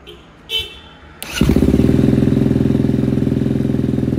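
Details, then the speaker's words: KTM 250 dirt bike, which ran poorly before, after cleaning its Keihin FCR carburetor: cold engine, choke on, idle raised. It catches at once and runs a quick, even single-cylinder beat cleanly. "Dăm relantii un pic mai mare. A pornit. O lăsăm puțin să meargă așa și apoi o să mai umblăm la reglaje dacă este cazul."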